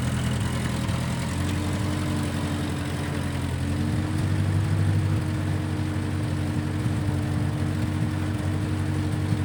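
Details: 1955 Massey Ferguson MF65 petrol tractor, in the family 30-some years, run after sitting about two years with a cleaned-out carb; smells of varnish and rusty gas. Low, steady drone with an even beat and a level tone, no misses. Normal running; Marvel Schebler carb may need slight tuning.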